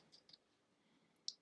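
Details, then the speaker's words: 1999 Triumph Sprint ST 955 at key-on with a new battery at about 13 V. The fuel pump runs, then three sharp, dry relay clicks; the owner believes this relay is for the warning lights. It won't start, possibly an ignition fault. "il y a un claquement au niveau des relais donc je j'ai compris que celui-ci servait pour les voyants"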